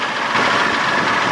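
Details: 1987 Johnson 6 hp two-stroke outboard, started with fast-start lever after a week unused, previously bogging: steady, even buzzing idle with no misses or knocks while warming up; running cleanly.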